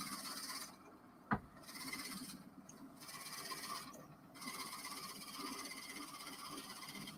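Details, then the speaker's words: Axminster AC 305 WL wood lathe turning a bottle opener handle on a live center: thin steady whistle over the spinning rasp from friction heat buildup inside, with slight smoke. "see can you hear that whistling yeah that's because it's generating heat inside"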